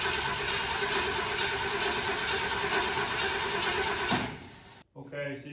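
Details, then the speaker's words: 1968 Ford Galaxie 500 with a 390, sitting unregistered for about 13 years: the starter turns it for about four seconds, it catches briefly, then dies. It has plenty of fuel; a wiring issue is blamed but unconfirmed. It starts then stalls. "you can kind of hear how it wants to start and uh just just run for just a second and we've got plenty of fuel in it"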